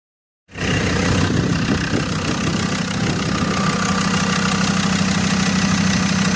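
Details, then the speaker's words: Abandoned Land Rover Discovery 2 TD5 diesel, first start after being found partly dismantled: fires and settles into a steady, even idle with no knocking or stumbling, typical healthy TD5 sound; pulleys reportedly not turning; normal idle. "But listen to that, sounds bloody good. So that is the typical TD5 sound. I'm over the moon."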